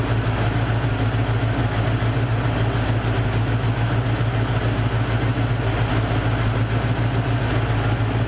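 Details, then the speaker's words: Cougar V8, warm idle after the misfire was addressed: steady, even low burble with no stumbles, skips or popping; it runs smooth and healthy and the misfire is gone. "idle goes down i don't hear any misfires i don't hear any popping hey that's a thumbs up for me it actually sounds really good"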